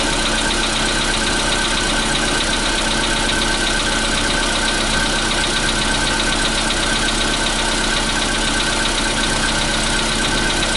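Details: Cold start at 0°C air temperature on a 2015 Volkswagen Polo Sedan (CFNA engine): cold idle with a busy, rattly knocking over the engine hum; abnormal engine knock on cold start, cause unclear.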